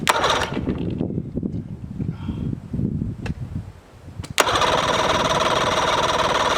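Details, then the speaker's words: Mercury outboard that would not start, after the starter was replaced (confirmed as the fault) and the battery changed (owner suspects a bad battery): uneven cranking and sputters, then it fires at about four seconds and settles into a strong, steady run. "Success. It runs, it runs. I had to change the battery."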